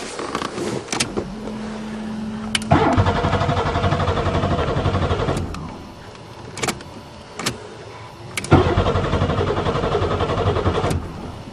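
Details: Buick Regal after sitting over winter, spring 2008, second battery installed: two cranking bursts about three seconds each with even starter churn, engine never catches; cranks but no start, no spark suspected.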